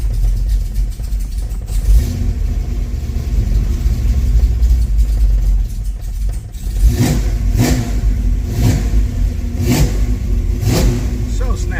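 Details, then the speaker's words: 1974 Camaro Z28 with rebuilt 400 small-block Chevy, AFR heads, cold start with no choke: deep lumpy V8 burble with four quick crisp throttle blips rising and dropping cleanly; healthy, responsive engine. "Let's do a cold start on here and hear how this thing sounds. No choke. Still got to hook up the tack and stuff. Crisp on this thing."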